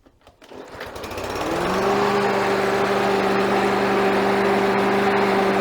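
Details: Victa mower with Briggs & Stratton 550EX 4-stroke engine after replacing a dirt-, dust- and oil-clogged air filter that caused surging: engine spins up and settles into a smooth, even hum with no surging.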